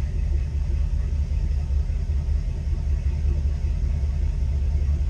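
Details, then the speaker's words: Boat inboard engine revved to push water out of the exhaust and back in neutral; deep, steady, loud exhaust rumble that is normal until the muffler refills with water and quiets. "This one here, running, hear how it's loud."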